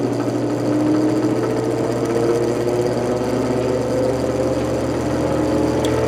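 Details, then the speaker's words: 1949 GE Vortalex 12-inch desk fan after blade wobble repair, starting on low then ramping up: steady motor hum, slight acceptable shaking on low; normal running. "Starting on low. Observe. A little bit of shaking, but it's an acceptable amount."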